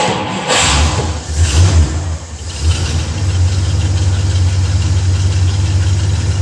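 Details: 1955 Studebaker Speedster with 128,000 miles, engine rebuilt stock after four years of restoration, first start: cranks, catches and revs a couple of times, then settles into a steady, even low idle with no knocks or misses.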